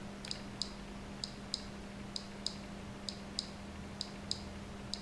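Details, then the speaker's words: Centurion proximity tag access control door system on the bench: sharp, dry relay clicks every second or two over a faint steady hum; the unit might be in a boot loop. "so it's hard speeding it might be in a boot loop"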